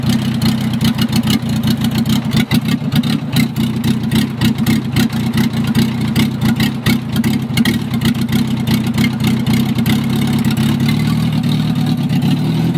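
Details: Gutbrod 1050 tractor with a used VW Polo diesel engine fitted the day before, on its first start: steady, fast diesel clatter with even pulses and no misses throughout; the freshly fitted engine runs properly.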